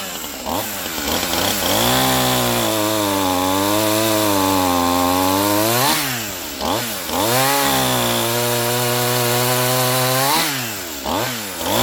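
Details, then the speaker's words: Stihl MS 181C Easy Start chainsaw after maintenance and a new chain, started warm while cutting wood: clean, even rev bursts that settle back smoothly. It runs healthy; only the starter is trippy. "Not a bad little saw. She runs good. That starter's just trippy."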